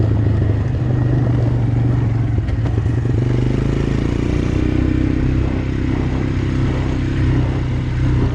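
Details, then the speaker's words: Abandoned Honda Recon ATV after rear brake repair and oil change, on test ride: deep, steady engine thrum with an even beat, no knocks or clatter; running great. "well there it is i got it all back together now i've taken it out for a test run ran it around a little bit it's running great actually kind of surprised how good it runs"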